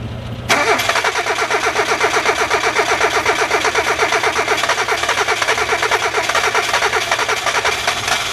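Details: Hyundai cold start: cranking catches only once gas is sprayed from a misting bottle, then runs with a rapid slightly uneven beat; hard cold start, fires only with added fuel.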